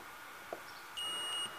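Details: Laptop power button tested with multimeter continuity mode: faint click then a half-second high beep while pressed; button had intermittent contact causing laptop to sometimes not power on; this beep shows the switch closing properly.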